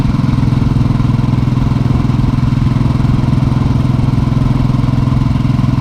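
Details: Single-cylinder motorcycle with a new replacement engine, hot after a short ride, idling: a steady, even low thump about three beats a second with no knock or valve tick. The valve noise is quiet.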